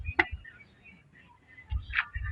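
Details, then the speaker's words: Variable valve timing solenoid bench-tested with car battery and two wires to its two pins: crisp single click each time power is applied; this solenoid works, unlike another that stayed silent. "Okay, you can see, you can hear the voice. You can hear it. Yes, it's shooting inside. That is good."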